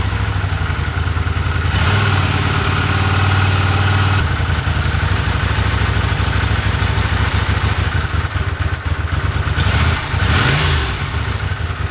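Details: 1982 Honda CX500 twin, neglected for years, after cleaning tank, petcock, carbs, slow jets (slightly bigger jets fitted) and replacing spark plugs and caps: lumpy, uneven idle that stumbles and wanders instead of settling; no change, cause still unknown.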